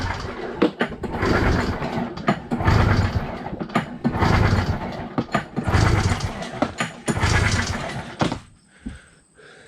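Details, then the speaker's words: 1993 Arctic Cat Thundercat 900 triple, cranked for a compression test before fuel is added: even, strong chuffs with short pauses. It reads about 120–122 psi on all three cylinders (stock heads), all very close and healthy. "it is a touch over 120 as well so it's basically 120 122 122 ish so they're all very close awesome that is very very good i'm happy with that"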